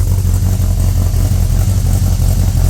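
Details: Ford ZH Fairlane 302 V8, complete rebuild, Holley Sniper fitted and starting to self-tune, tailpipes on: loud, even low-pitched burble at steady idle with no misses or knocks; runs smoothly.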